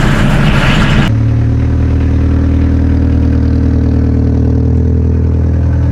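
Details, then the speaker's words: 1979 car with a 1.5-litre diesel engine: after a brief crank it catches and holds a deep, even diesel clatter at idle, steady and unbroken, sounding healthy. "So, it has a 1.5 liter engine, and as you can hear, it's a diesel."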